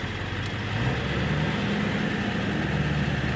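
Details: Early 1999 Ford Super Duty 7.3L Powerstroke diesel with newly installed TS 6-position chip set to stock/high idle position: even, steady diesel clatter at raised idle with deep rumble, no misses or knocks; healthy.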